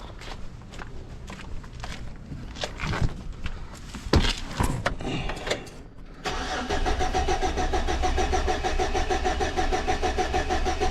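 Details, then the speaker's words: 2006 Chevy Silverado with no spark despite every ignition part being replaced: after clicking, the starter churns at a fast, even rhythm but the engine never fires; no coil control signal is seen, and a bad ignition module is suspected. "Now let's crank it. Just a lot of noise, but no control."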